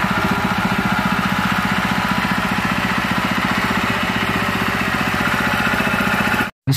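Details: Honda GX160/200 engine after replacing worn piston and damaged governor gear, which had caused white exhaust smoke and throttle stuck high: even, rapid firing beat at steady speed, no surging or roar, running normally.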